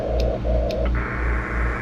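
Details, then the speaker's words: Inverter generator under load, cord off the ground, running a portable AC, heard on an HF ham receiver in CW mode: loud steady buzz, pulsing hum and high whine over hiss at 59-plus, only slightly reduced by filters. "I mean, open. We're 59 plus. Filters take a little bit out of it, but still pretty loud."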